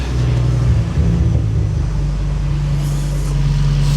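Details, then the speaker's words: Skoda Octavia estate fitted with an Audi RS3 2.5L five-cylinder DAZA engine, idling after the whirring noise was traced to the alternator and the aircon was deleted: a deep, smooth idle with one brief blip and no front-end whirr. It runs normally. "And yeah, engine sounds perfect, sounds beautiful."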